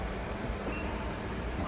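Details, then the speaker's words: Used Touchline CF375 paper folder: high-pitched short beeps repeating about twice a second because a door is open; door-open warning that stops once shut. "that does nothing now it's freaking out because the doors open but that will go away"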